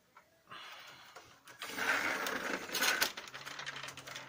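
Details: Lexmark X364dn printer: quiet start, then a rough, uneven grinding rasp once the paper path runs; duplex assembly grinding, not cured by new fuser or main drive, solved by replacing the duplex assembly.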